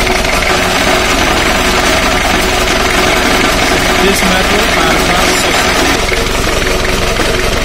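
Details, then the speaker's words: Four-cylinder diesel idling around 928 rpm in a cylinder power balance test measured by digital tachometer on the flywheel: an even beat, and each cylinder's rpm drop is consistent and close together, so the engine is healthy. "this way you can measure the rpm drop in a diesel engine and compare every cylinder and as you can see these results are very nice almost close together"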